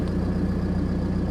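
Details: Ford Mondeo MK4 idling after the ignition switch was replaced and everything reassembled; the key previously would not turn to start. A low, even idle with a steady throb and no misses or knocks: the engine idles cleanly.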